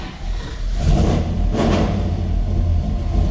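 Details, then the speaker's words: Old Chevelle V8 after checking and repairing the electric exhaust cutouts: deep, even rumble that swells with a couple of blips and settles; no leaks, rattles or misses, healthy exhaust; normal V8 idle. "see how she sounds and then we'll open it out pretty good pretty good"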